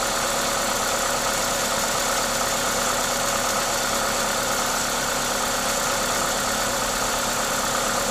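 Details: Toyota 2ZZ-GE engine: even, steady note under a strong airy hiss from the aftermarket induction kit, no knocks or ticks; normal engine sound.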